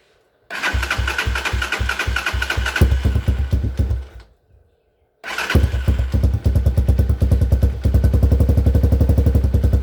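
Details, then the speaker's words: Hawk 250 single-cylinder dirt bike, no-start fixed by replacing a dead battery (old one read 3.7 volts): catches quickly, even thumping idle about four beats a second, stalls once, restarts cleanly and runs steady. "so that was an easy fix it was just the battery was dead"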